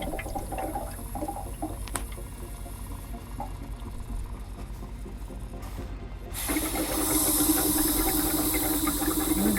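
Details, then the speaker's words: Land Rover Defender with recurring cooling problems, expansion tank cap opened with the engine hot: quiet bubbling, then a rush of hissing as pressure releases, with gurgling in the coolant tank. Coolant gurgling in the expansion tank, cause unknown. "can you hear the noises that's also something that shouldn't shouldn't happen let's have a look there's some pressure and you can hear the weird gurgling"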